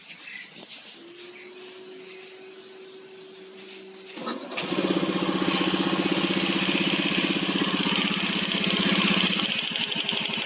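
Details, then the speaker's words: Owner's own automatic scooter with a knocking noise first suspected to be worn rollers, which were fine: steady, quick ticking at start and idle caused by a loose spark plug cap. "Awalnya saya curigai ini ya, rollernya haus, tapi tidak ya, masih bagus. Ternyata di bagian sini ya, di kop businya ini ada yang kendor."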